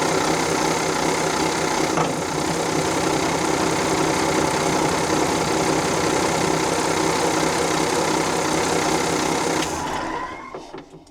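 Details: Volvo Penta TAMD 71B marine diesel, stood 10 years in a partially sunk abandoned boat, first test in reverse: steady even clatter, no big rumbling or knocking, winds down smoothly; running normally, bearings still to be checked.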